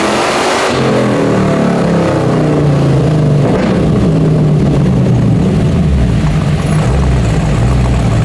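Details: 1970.5 Camaro Z/28 drag car, LS6 V8 on FT550 EFI, TPS-based tune, on hub dyno under load; loud, flat, uneven, ragged note instead of crisp pull; timing suspected to be about 20° off; incorrect ignition timing.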